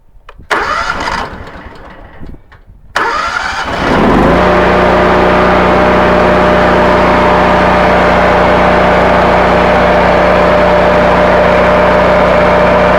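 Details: North Star 13,000 W brushless generator (model 165606N) with Honda GX630 twin-cylinder engine, started after fitting two capacitors in parallel (63 µF) to restore output; cranks, catches after a few seconds, settles to smooth steady drone; normal running.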